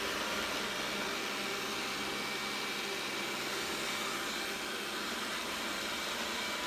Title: Roborock S6 buzzing noise 01.11.2019